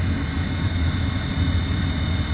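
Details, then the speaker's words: Furnace just reinstalled after repair, blowing hot air; steady low airflow rumble with faint constant high whine; owner suspects the squirrel cage blower wheel is rubbing on something and hopes it wears away. "unfortunately I hear a little bit of a wine the maybe the squirrel cage is hitting something a little bit of a r"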